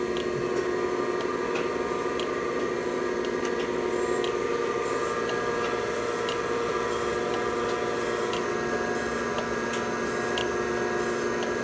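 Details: Thompson 8x24 surface grinder test run: steady, even motor hum at constant pitch with only faint light ticks, no grinding or wobble; runs smoothly.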